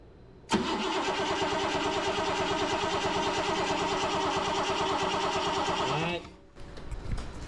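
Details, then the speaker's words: 1977 BMW 530i parked since 2017: starter cranks steadily about five and a half seconds, never catches; power reaches the coil but no spark, no trigger signal to the coil, fuel pump not heard running. "juice to the coil so that's also a good thing but I'm not getting no spark through the coil I don't hear the fuel pump but we'll worry about that later"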